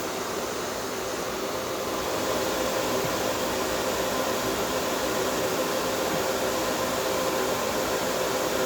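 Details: Small compressor in a homemade air conditioner at first start-up, run without the solenoid valve, not yet fully charged, no condenser fan, condenser water warming. Soft steady hum and airy hiss, no knocking or rattle; normal compressor running.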